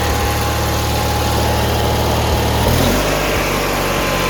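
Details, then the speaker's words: 18 hp Murray V-twin riding mower, after carb cleaning fixed rough idle and surging: even putter settling to a slightly lower steady note near three seconds, no surging; normal idle. "Runs good now. Clean the carb out. It was kind of surging for a little bit. So, but I cleaned the carb out some. It changed a lot. Idle's right now."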